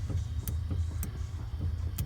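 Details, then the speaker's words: 1984 Porsche 944 fuel pump in the trunk, powered directly from a rear battery, after rust-packed tank replaced: low hum with sharp uneven ticking knocks about twice a second, pump struggling; believed clogged, to be removed and cleared or replaced. "hear knocking from the pump when I do that yeah we go ahead and connect it here and check and see if it's running it's wanting to but it is clogged so I'll have to take the fuel pump off and either get it unplugged or replace it"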